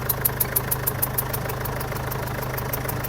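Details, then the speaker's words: Mazda BT50/Ford Ranger diesel (same engine) at idle: a sharp tick-puff about three times a second, air leaking at the injector. A water test confirms a leaking injector sealing washer on cylinder 2, which is chipped and shows black soot; cylinder 3 is less affected. The customer says it was serviced recently. "ได้ยินเสียงมั้ยเสียงมันเป็นเสียงลมเสียงลมรอดขึ้นมาบริเวณนี้บริเวณหัวฉีดนี่"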